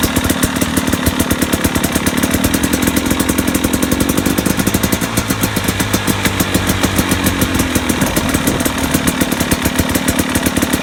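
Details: 2017 KTM 250 XC-W two-stroke idling with a sharp, regular knock riding on its uneven popping beat; owner wonders if pipe bang or nothing serious, cause unconfirmed.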